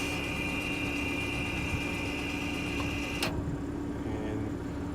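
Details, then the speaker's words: 2012 Audi A6 sport edition rear electronic parking brake opened via scan tool before pad change: steady high electric whir for about three seconds, ending in a click; motor retracting normally. "and then it's going to say next, the brakes are completely open. As you can hear, kind of you hear the motor releasing the"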